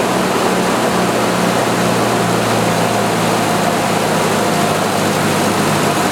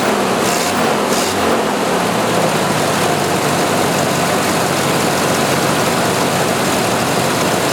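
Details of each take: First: 1986 Jeep XJ 2.5L four-cylinder after repairing the idle speed control DC motor with a new rear bushing: idle briefly higher at start, then settles to an even, steady hum with no knocks; normal idle. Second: 1986 Jeep XJ 2.5L, engine cold after sitting a week, idle speed control motor repaired: idle bogs and labours unevenly when the air conditioner is switched on, cause unknown.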